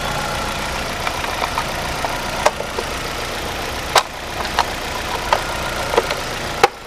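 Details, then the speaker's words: 2010 Chevy Aveo 1.6 Ecotec just after valve cover replacement (integrated PCV vacuum leak had caused misfires), coils refitted; quiet, even idle with no misfire or stumble, a few sharp clicks around the car; runs like new, no check engine lights. Normal idle. "it's amazing how valkir make it run brand new ain't that amazing absolutely amazing no more check engine lights"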